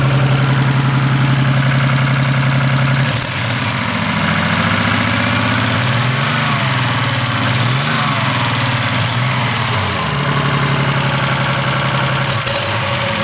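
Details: 1987 Toyota Supra Turbo, just bought; new platinum plugs fitted (old ones fouled) and high-octane fuel added. Idle hunts and wavers with an uneven, lumpy beat and drifting pitch: misfire at idle, cause unknown.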